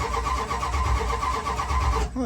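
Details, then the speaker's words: 440 big-block 1977/78 Dodge D200 crew cab, sat a week, dead battery, weak accelerator pump: slow, labored cranking for about 2 s with no clean catch before cutting off; stubborn cold start. "yeah still a little [Music] stubborn but it does start so that's something"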